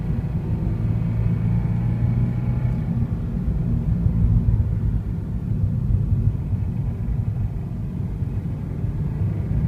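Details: Deep, steady low engine rumble with nothing standing out above it; an unidentified engine noise whose cause can't be pinned down.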